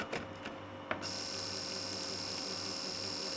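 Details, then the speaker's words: ZX Spectrum +3 disk drive after drive belt replacement: a couple of clicks, then a steady high whir holding constant as the spindle spins up; drive motor and belt working normally. "right moment of truth going to turn it on and hopefully we will hear a working disc this drive that seems to work fine"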